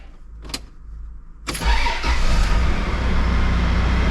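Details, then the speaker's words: 80 Series Land Cruiser after swapping in repaired mass air flow sensor to cure donor engine's stutter: short crank, fires instantly and settles into a steady even idle with no stutter; MAF fault fixed, running less rich. "Fire straight up. No problem. And no stutter or idle whatsoever. Pretty happy with that."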